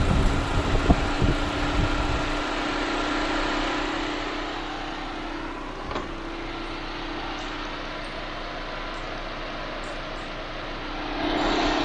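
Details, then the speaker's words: 2014 Chevy Sonic, 146,000 miles, idling with AC on after replacing the blown cooling fan fuse and cooling fan: compressor engaged, even whooshing fan and constant low hum, no rattle or scrape, cooling fan working normally. "Yeah, the compressor's on. Fan's on."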